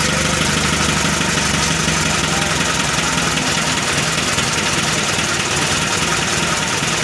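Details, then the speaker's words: Mitsubishi FE (1981) Colt Diesel truck, 100 ps, after fitting a new original engine block, first start: even diesel idle with steady clatter, no misses or knocks, partly under hiss; smooth normal idle, minor hose clamp leak noted. "udah mau hidup dan kita cek Apakah ada selang air yang bocor ataupun Slank dan solar yang bocor ya suaranya halus"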